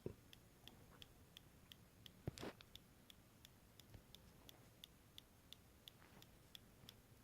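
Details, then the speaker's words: MacBook with a year-long clicking problem, recurring after logic board repairs, nothing open, speaker off: faint sharp ticks about every third of a second from one region inside; owner suspects a short. "nothing particular is running on this thing and it's making this crazy noise so yeah it seems to be coming from this region up here again"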